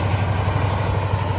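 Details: 1997 Mack CH613 day cab, Mack E7 400 HP diesel, 13-speed manual, about 20k hours and 600-650k miles: deep, even idle with a steady low throb and no knocks or misses; engine sounds healthy.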